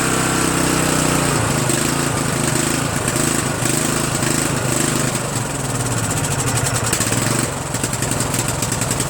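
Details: Murray 14.5 42" Widebody LT lawn tractor single-cylinder engine after muffler refit, carburetor adjustment and choke linkage cleaning: loud steady chug, runs evenly without stalling; normal running.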